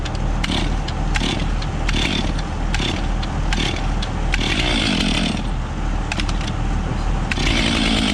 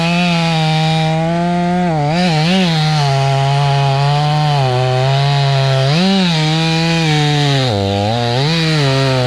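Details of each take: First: Stihl 500i fuel-injected chainsaw, cold morning start without priming; catches unprimed and settles into a steady slightly lazy run with throttle blips, normal cold start. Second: Stihl 500i fuel-injected chainsaw with a longer bar cutting through a fat knot: high whine whose pitch sags and wavers, bogging down; too much bar for the saw, 32-inch suggested as the sweet spot.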